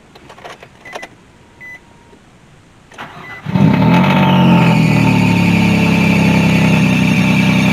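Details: 2003 Nissan Maxima with newly swapped replacement engine: few clicks and chimes, catches within a second, settles into smooth even idle with no knocks; some noise is the AC; running great, no overheating.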